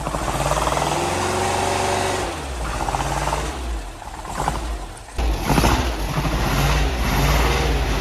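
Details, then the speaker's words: Porsche 914 newly built 2056 cc engine, dual throttle body MegaSquirt EFI, 123Ignition, first start on test stand: catches, sags and dies, then refires unevenly; starving for fuel, lean, fuel not set correctly in software. "wouldn't stay running because we did not have our fuel um set up correctly in the software so really not getting enough fuel to keep it around"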